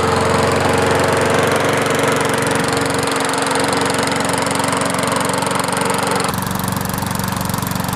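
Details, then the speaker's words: Murray 20-inch mower with a 4.75 HP Briggs & Stratton engine, hydrolocked from overfilled oil, started after clearing the cylinder and reassembly, running to burn off oil: steady even single-cylinder beat, constant pitch; normal running. "So, I just did a preliminary start. It did start. Everything's back in place."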